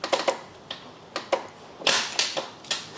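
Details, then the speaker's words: BMW K100 motorcycle project bike: sharp dry relay clicks in uneven bursts with no cranking; starter not turning, owner fears seized engine; common starter sprag clutch issue later suspected. "Got no crank there. Got a relay clicking."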